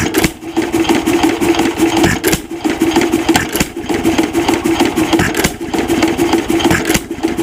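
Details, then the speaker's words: 1926 Nelson Bros. hit-and-miss engine after governor spring screwed in to raise governed speed: rapid, even chuffing beat with no misses; running normally at higher speed. "so I'll go ahead and I'll screw this in and we should hear the engine speed change quite drastically"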